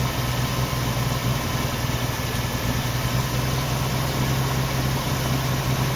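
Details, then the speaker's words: 1990 Jeep Wrangler carbureted engine idling very rough with lumpy, wavering beat, not settling; owner plans to clean injectors and carburetor. "it gets out of the sunlight and here she's really rough"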